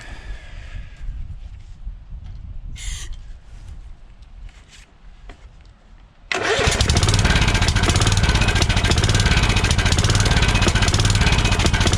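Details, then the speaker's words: Kohler Courage 20 hp on a Craftsman DYT4000, fed carb spray to check for bottom-end noise: cranks and catches into a steady, even thumping idle with no knock. It is still not drawing fuel from the tank. Normal running. "sounds pretty good still never drew anything up from the tank which is fine"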